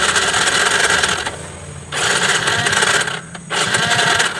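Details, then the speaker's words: A Yamaha Mio J fuel-injected scooter that sputters, with fault codes 51, 37 and 46 and a MIL lamp problem. Its busy, rattly idle keeps sagging almost to stalling, then recovers twice; it starts hard and dies when ridden. Cause unconfirmed. "Nah, dia suka mati-mati guys ya, kayak gitu ya. Hidupnya itu agak sulit, kadang-kadang dia tuh hidup ya, seperti itu ya."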